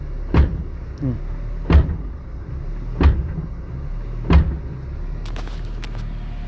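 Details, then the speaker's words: Ford Ka 2000 with Zetec engine at idle, no throttle: dull low thumps roughly every second; noise appears when reverse is engaged, and the mechanic is almost sure it is a worn gearbox (transmission) mount. "Um amigo trouxe o carro dele aqui, falou que o carro tá com barulho quando engata ré. Tenho quase certeza que seja calço da caixa."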